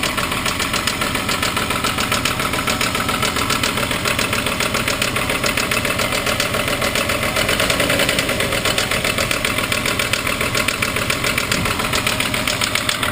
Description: my Mk3 Golf VR6 making a bad knocking noise and the oil light is flashing